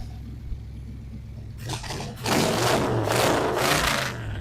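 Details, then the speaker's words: Abandoned 1978 Camaro 305 V8 just brought back to life after fuel priming, with slightly dirty fuel through a filter: quiet start, then it catches and pulls through several strong, crisp, even rev bursts; running healthy. "I thought it was just a 305, man. That 305 come alive. Come alive. Here. So it's running. Nice."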